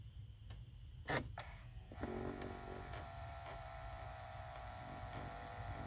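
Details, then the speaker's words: 2013 Chevy Impala passenger-side temperature control that always blew cold: after the blend door actuator was reinstalled, a click, then a faint steady small-motor whir in the quiet cabin; normal blend door actuator operation. "all right so the one's working now yeah definitely making some noise"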